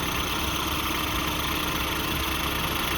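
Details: 1988-97 Nissan D21 Hardbody idles evenly after AC pulley replacement, no belt squeal or chirp; previously had a nasty belt/pulley squeal whenever started.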